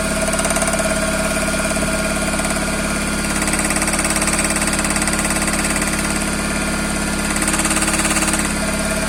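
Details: Toyota Corolla with 5E-FE engine at idle: even light knock about two to three times a second from inside the engine; cause unknown.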